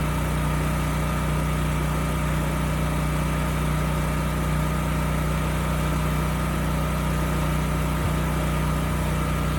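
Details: Used generator (model HU40500G) with a new generator head installed after a bad DPE winding caused no output; governor screw turned up slightly. Steady, even drone without hunting: about 61.5 Hz at no load, about 59 Hz under a 3000 W load. Running well.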